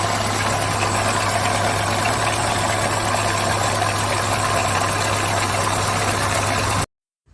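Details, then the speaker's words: Chevrolet/GM-family engine with no oil pressure: a loud rough idle with a hard metallic bottom-end clatter. The oil pickup was suspected clogged; the sump was opened and showed metal pieces inside the engine, with axial play. "ó como é que tá o teu motor isso aqui é pedaço por isso que tá aquela barulheira toda entendeu"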